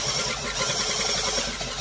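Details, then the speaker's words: Cylinder mower reel being back-lapped, spun slowly clockwise by a drill on the sprocket with grinding paste applied: a steady fast rasping scrape against the bottom blade. The noise changes as the paste starts working normally. "And all you're going to do is rub that grinding paste in. And you can hear that noise change,"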